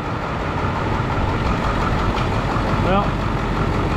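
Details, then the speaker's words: Ford Powerstroke diesel tow truck that wouldn't start, ether sprayed, reassembled and set off for a drive; even, steady diesel rumble at idle with no knocks or misses; seems to be running fine. "seems to be running just fine thank you for a spin up the road I guess and see what the hell happens clearly there's nothing wrong with it"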